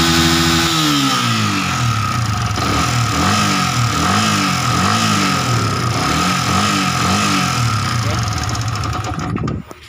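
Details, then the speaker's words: Yamaha Vixion New, piston recently replaced with a Honda piston (possibly Sonic) after boring, revving up and down repeatedly; harsh, very rough clatter heard at the cylinder head area. "Nah di sini motor ini bunyinya kasar, sangat kasar sekali ya di area head ya."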